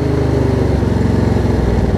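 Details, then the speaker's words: Craftsman DLT riding mower Briggs & Stratton V-twin after carb clean and kill/stator wire repair, idled down: even steady beat, running smooth, only occasional slight misfire noted earlier. "the idol down it idles beautifully it looks good"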